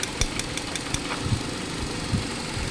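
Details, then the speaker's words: 2018 Hyundai Accent 1.4 with hunting idle that stalls: uneven idle with irregular dull thumps and stumbles from misfire; testing found three of four ignition coils misfiring, only number two good. "puro misfire to misfire yung coil dapat ang kuryente dito lang ang nangyayari sa gilid na"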